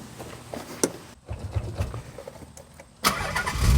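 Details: Nissan 300ZX Z32 with refreshed VG30 engine, after a failed relay was bypassed with a jumper wire in the connector: a few clicks, then the starter turns, the engine fires and holds a steady idle; starting circuit works, normal crank and start.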